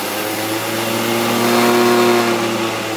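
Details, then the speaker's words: 2HP DC treadmill motor (up to about 5000 rpm) retrofitted to a Bridgeport mill in place of the 1HP J-head motor, unloaded as the speed potentiometer is turned up. Smooth, even whine swelling slightly with speed, no knocks or grinding, healthy. "turn it on got my potentiometer here i can adjust the speed with my potentiometer"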